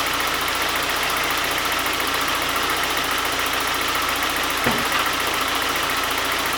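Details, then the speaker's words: 1991 Saab 9000 2.3 turbo 16-valve, after an easy repair under the coil pack for an intermittent running fault, before warm-up drive: steady, even idle under heavy hiss, no misfire or knock; normal idle. "Okay, so everything seemed fine, which means that we can go about our test drive, and I'll let the car warm up for the first like few kilometers,"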